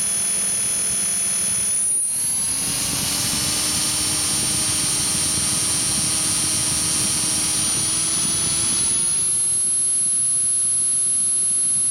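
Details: Align 450M RC helicopter motor after the upper and lower main shaft bearings were replaced: a high whine climbing with spool-up and a gritty grinding rasp that follows motor speed; owner suspects worn internal motor bearings.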